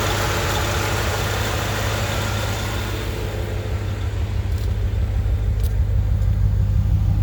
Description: Intermittent misfire on my 1995 Corvette